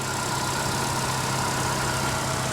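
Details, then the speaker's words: Ecotec four-cylinder car with 30-some thousand miles, at a salvage auction: smooth, even idle with a steady low hum and no knocks or ticks; sounds healthy. Normal idle. "there's your little uh your little ecotec man little beast of a motor right there she sounds healthy"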